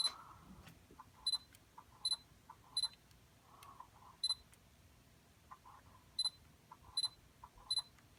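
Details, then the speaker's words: Sony G-Master 85mm f/1.4 lens on firmware 3.10, in a quiet room: short high chirps and faint irregular ticks from the focus motor while it works, still abnormal after the firmware update. "as you can see it has a firmware update and um they're still making that weird noise"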